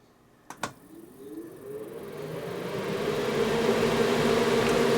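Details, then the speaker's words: Mr Lee's 2x12 Xforce amplifier cabinet fans with lid closed, replaced heatsink, other room fans off: switch click, then a soft airy whir climbing smoothly to steady, no rattle or bearing growl; quiet normal fan operation cooling the heatsink. "It's relatively quiet. Very, very quiet, actually, in my opinion. And it's moving a buttload of air across that heatsink."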